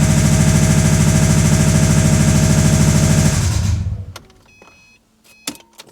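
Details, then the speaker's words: 1986 Ford bullnose truck, 302 V8, two-wheel drive automatic, long-sat, first start: heavy solid knock about three per second, judged too pronounced for rod knock; cause unknown. "definitely not a rod knock that is way more pronounced way more solid than a rod knock"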